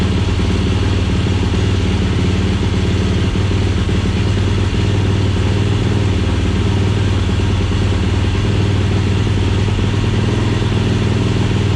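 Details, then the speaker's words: 2007 Yamaha YFZ450 SE build, run on temporary leaking gas bottle with charging pack: steady even single-cylinder thump at idle, no misses, knocks or surging; runs good until out of gas. "all right well she's out of gas so she's running good i can't complain with that can't complain with that at all"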